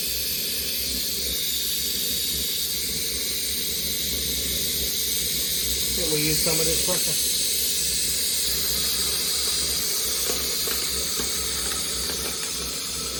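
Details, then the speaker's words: Maxitrak 1.5" Allchin live-steam model ('Merlin'), first steaming, gas-fired, pressure run right up: steady high-pitched hiss of steam escaping continuously; safety valve lifted and blowing off at full pressure. "t right the way up and show the safety is blowing off"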